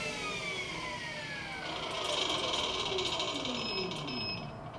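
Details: Electric go-kart with QS hub motor, Fardriver controllers and Headway cells, run just after controller autolearn: smooth electric whine sliding down in pitch with a light rattle (owner says a loose sprocket); motor runs correctly.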